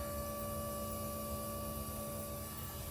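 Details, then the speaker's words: 2016 Ram 1500 3.0 EcoDiesel with a P0183 fuel temperature code, after replacing the fuel filter housing/water separator: key in run without starting, a quiet steady electric hum as the lift pump primes the new dry filter normally. "Um what I mean by priming it is you go turn on the put the car on run put the truck in run mode. Not accessory, but run without starting it. And then you'll hear that pump priming."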